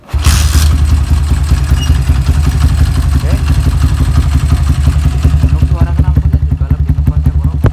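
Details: Single-cylinder bike at fast idle just after fitting an EDO E2 camshaft in place of the old S1: coarse, rough beat with light harsh ticking over the exhaust; feels more powerful but sounds very rough, cause unclear.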